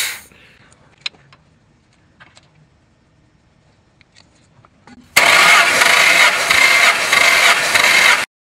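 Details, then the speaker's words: 1999 Ford F-150 XL, 215,000 miles, compression test: starter cranks about three seconds at a steady even beat; compression good and even, cylinders three and four 200 psi, rest 210. "All right, we're good. Good compression and it's even."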